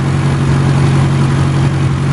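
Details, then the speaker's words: 2002 with an M10 engine, stored three and a half years and possibly rebuilt in the 2000s, idling on the street: smooth, even low hum with steady pitch and no misses, knocks or ticks; called the smoothest M10 seen. "this engine just purrs like a kitten i don't know if you can hear it we're right on the street here"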